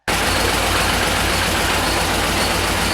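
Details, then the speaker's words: Car started in the morning with the engine warning light flashing: a rough, uneven idle with a loud hissy rattle. One cylinder is misfiring because a spark plug wire was cut; the noise was fixed by joining the wire with insulation tape. "Engine warning light flashed. When I checked the engine bay, a wire that connects to a spark plug was cut."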